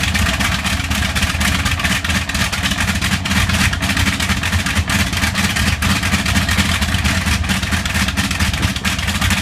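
Deep radial engine running steadily with faint uneven stumbles in the beat now and then, pointing to a slight misfire.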